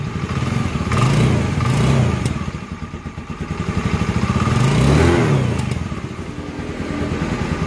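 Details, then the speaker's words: Honda Scoopy carburetor scooter after connecting-rod bearing and piston replacement: engine blipped twice from idle, revs climb and fall cleanly with a smooth, even note and no knocking; the earlier robot-like rough sound is gone. "dia untuk suara mesinnya halus kembali ya beda dengan pada saat tadi awal kita videokan ya"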